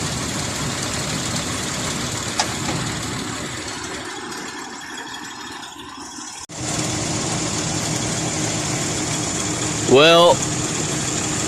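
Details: 2001 Ford Explorer 4.0L petrol, idle after reseating plug leads and torquing left exhaust manifold bolts: steady idle, slightly rough edge, no exhaust ticking or smoke; normal idle, manifold leak no longer heard.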